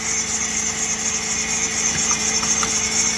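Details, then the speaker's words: Blue Chrysler PT Cruiser at idle just after a new engine was fitted, PCM possibly wrong and PCM/TCM not on the bus: steady high whine and hiss with faint irregular ticking; source unclear; unidentified engine noise at idle. "oh my goodness yeah they did a butcher what is all that noise"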